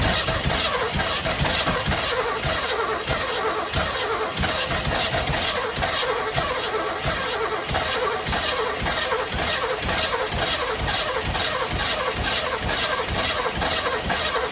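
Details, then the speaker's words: 1978 Chevy Camaro, mystery rebuilt cammed 350 small block V8, first start: rapid cranking with bursts of firing that never settle into idle; engine catches but won't idle, cause unknown, later running with idle set very high. "They're all adjusted properly. They're all good. Why isn't it idling? Do you know?"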